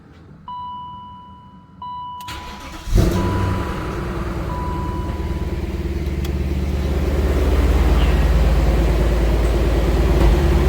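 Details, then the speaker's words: E39 BMW M5 cold start just after replacing the secondary air pump: chime, quick crank and catch into a steady fast idle with no pump drone; the new pump is near silent, so the old one was bad without a code. "you can't even tell that thing's on damn I didn't really realize how loud the other one is until now hearing this"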